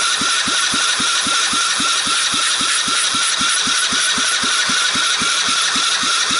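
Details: Seized 110cc Sunl ATV engine, freed up, fired on the bench with a carburetor, portable CDI box, jump box and starting fluid; sharp, even single-cylinder firing about four beats a second over a steady hiss, running cleanly.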